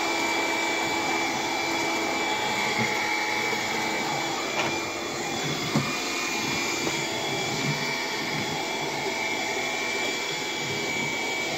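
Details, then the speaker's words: Bissell Power Glide cordless vacuum on low power, brush roll off, hard floor: steady high whir with uneven rattly edge and catches; motor noise, possibly a clog, cause unconfirmed. "I don't know if you hear it but I hear it the motor keeps making a weird noise"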